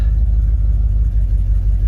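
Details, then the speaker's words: 1977 Ford Ranger truck parked about 25 years, first start after fresh gas, a splash in the carb and a new air filter: deep, steady, even rumble with no misses or knocks, warming up to clear old fuel. "sounds pretty decent i'm gonna let it warm up for a bit clear the old fuel out of the line"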